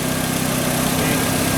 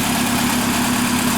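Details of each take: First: Fiat Linea that had a noise on cold start, restarted after cooling (not fully cold, hot ambient): smooth, even idle with a steady low hum and no ticking or rattle; the noise has gone. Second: Fiat Linea on cold start at idle: loud steady idle with a fast, even mechanical patter riding over the engine; mechanic suggests it could be the pump, cause not pinned down.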